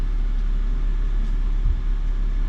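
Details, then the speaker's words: 2004 BMW 325xi after misfire repair: petrol engine idles low, steady and smooth, no shaking, no codes or check-engine light; normal smooth idle. "and i can show you it's running we have no codes present no check engine light and it's running nice and smooth"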